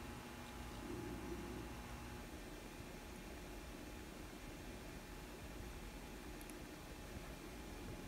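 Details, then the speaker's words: N scale Bachmann 4-4-0 locomotive under repair, glued-in motor bench-tested from power pack in reverse direction: faint steady hum with thin constant whine, no catching or grinding; small motor runs smoothly. "In the test area, sounds okay."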